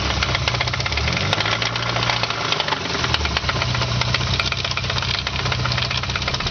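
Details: Nissan KA24E engine idling roughly with a steady, even knock ticking along with the idle, a worn connecting rod bearing knocking; rod knock.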